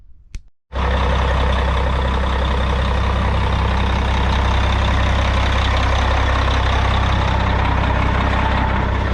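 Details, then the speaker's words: Diesel GMC truck, previously a no-start with flat batteries and suspected lost prime, cranks briefly on ether then catches and settles into a steady, even, smooth idle; normal running. "well folks she is running not sure what happened cranked on her threw some ether"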